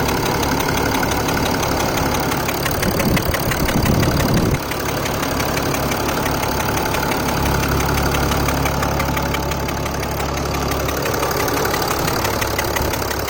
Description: Weird metallic ticking engine noise from mercedes ml350 bluetec. Engine is om642 with turbo. Anyone knows what this means? I took it to an indy he said it is a normal noise